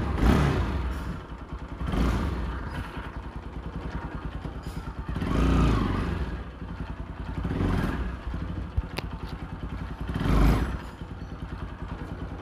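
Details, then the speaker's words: Pulsar NS 200 engine after fitting a new modified one-way (starter clutch), previously seized while running: steady, even single-cylinder idle with gentle speed rise and fall, no knocking or former shallow-pump-like noise; normal idle. "করি বুঝতে পারছেন আগের মতো শ্যালোর মতো sound নাই ইনশাআল্লাহ।"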